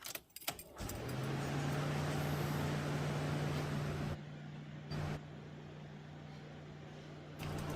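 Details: Engine with a freshly rebuilt Greddy T78 turbo (eBay kit), first start after reassembly with silencer fitted to check for boost leaks; catches and settles into a steady, even idle with low drone, no knocks, whistles or hiss.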